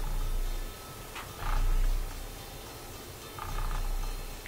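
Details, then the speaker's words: Viking console stereo with a Garrard 121 MKII turntable, motor powered but platter not turning: a low, steady rumble swelling and fading about every second. A broken drive belt flipping around inside is suspected. "sounds like a train coming doesn't it let's make sure the speed is engaged speed control doesn't want to change I believe there's a belt inside this turntable and that could be the sound of the broken belt flipping around"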